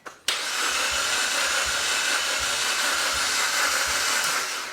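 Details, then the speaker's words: Suzuki Jimny with a second-hand engine sold as fully tested, first crank after install; fast, even, hollow cranking whir with no puffing or labouring, turning over too freely; no compression. "Sounds like an engine turning over that's not actually making any compression."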